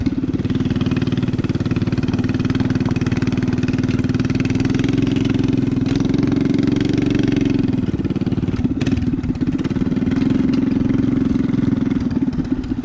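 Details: Rat rod small single-cylinder idling on choke after new gas tank fitted to fix fuel problems: steady buzzing, even beat with only slight dips; normal idle.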